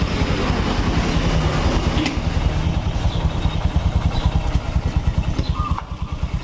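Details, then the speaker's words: Honda Supra X 125 after engine repair, road test in the morning: steady, even exhaust beat rising and falling with throttle while riding, no knocks or rattles; engine runs smooth. "hai loh mesinnya sudah halus lembut mesinnya ya mesinnya lembut"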